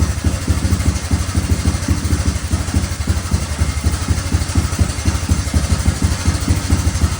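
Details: Honda 185s three-wheeler single-cylinder engine on E85 with ported stock carb and timing fully advanced; steady, even thump at fast idle with deep exhaust pulses and no misses, running clean.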